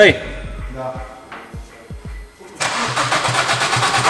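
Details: Chevrolet Damas that would no longer start, after confirming the injection pump delivers diesel; slow steady cranking about three turns a second with no firing, then a loud rush. Crew suspect timing system (chain-driven); cause unconfirmed.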